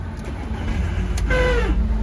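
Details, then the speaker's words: Audi A1 on starting: low engine rumble then brief whirring whine dropping in pitch as it fades, caused by a worn starter motor. "ces bruits là c'est bien le démarreur qui en cause"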